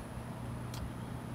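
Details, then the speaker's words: Bosch 3-ton 36,000 BTU 18 SEER inverter split-system outdoor unit with a Mitsubishi compressor, just started in low stage on its test cycle with the fan running: a low even hum with a faint whine, no rattles. It runs normally and quietly. "You can hardly hear it running. This has a Mitsubishi compressor in it, kind of the same as their ductless mini splits."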